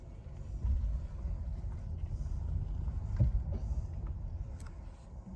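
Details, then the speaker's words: 2018 Nissan Leaf after re-torquing the front axle nuts to 147.5 (clicking had come on brake-then-accelerate, especially with e-Pedal engaged/disengaged): test drive gives only soft tyre and road rumble at low speed, no clicking from the front axle. "the test drive shows no clicking sound"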